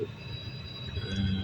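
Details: Kia Rio / Hyundai Solaris heater blower: thin, steady high whistle over the fan's low rush, from air leaking past the cabin filter housing; later sealed with self-adhesive foam. Heater whistle.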